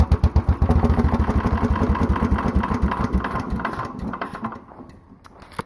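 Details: Mostly stock Honda clone single with stage-1-style header, 10 lb cast-iron flywheel, cam modified; cranked with choke on, slow heavy chuffing then faster and louder once the automatic compression release disengages; normal start-up with compression release.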